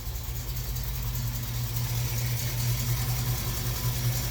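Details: Jeep CJ-7 AMC 304 V8 with a performance cam during a timing check, vacuum advance disconnected from manifold vacuum, base timing found at 10°: a low, slightly lopey idle with no knocks or misses. It is a normal, healthy idle.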